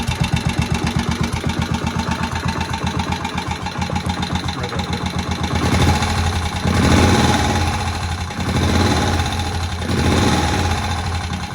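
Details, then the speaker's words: Old barn-find Moto Guzzi single first start after 40 years, head work done: steady even firing beat about four per second settling into smooth tickover with light blips, oil circulating; healthy idle, sits there nicely. "It really just does sit there very nicely, ticking over."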